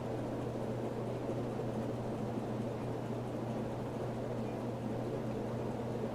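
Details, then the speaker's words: 1982 Hunter Original 2.5 amp ceiling fan, 2-speed converted to 3 with an added low-speed capacitor, on high: a smooth, steady motor hum with an even rush of air and no ticking, wobble or grinding. Normal operation. "so let's go to High and it works as you would expect an original to work on high blowing everything around in the"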